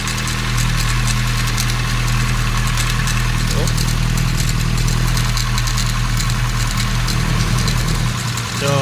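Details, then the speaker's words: 2013 Hyundai Accent with hard starting, misfire and the oil light on: steady idle with a busy, tinny clatter riding on top of the engine; the mechanic finds a loose timing chain, and the chain is to be taken apart. "so kakalasin yung timing chain no so wala sa t maluwag na kuya no maluwag na yung timing Chin"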